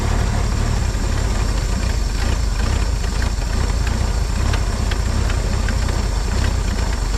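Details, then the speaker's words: 1950 Chevrolet Styleline straight-six, parked about 7-9 years, first start on fuel: catches and settles into a steady, even low rumble with no knocks or misses; carb bottom O-ring suspected going bad. "see come on baby did you just hear it kick in that's awesome that's it girl"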